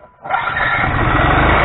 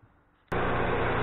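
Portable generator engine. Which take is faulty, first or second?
first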